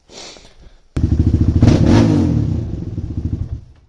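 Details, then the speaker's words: DVX400 quad, warmed up in cold weather after valve and timing work, coming off throttle: single thumping about three times a second with uneven pops on deceleration; owner suspects it now needs more fuel, and it still cuts out mid-ride. "All right, so she's very poppy right now."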